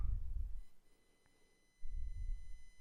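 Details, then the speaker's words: SCX24 crawler back on the stock ESC with a Barrage motor: a thin, steady high-pitched whine under quiet low motor rumble at slow speed. The Furitek ESC tested earlier ran without this whine. "hear that whining we didn't hear that before with the fury attack now you can you can get some decent slow speed but you don't have to hear that whining"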